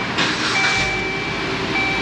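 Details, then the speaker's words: Dodge Journey, 93,000 miles, belt noise complaint: idling with accessory belt removed is smooth and quiet as a mouse, no chirping or rattling, so noise lies in belt drive; alternator and tensioner suspected, tensioner not moving with belt. "let's fire it up and see how quiet it is without the belt on it"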